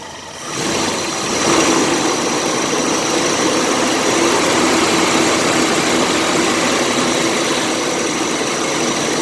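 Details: 1985 Chevy S10 2.8 V6 after replacing a fan clutch that wasn't engaging at temperature; engine catches and settles into a steady, even idle with smooth whir, no knocks or squeals; repair confirmed, runs healthy.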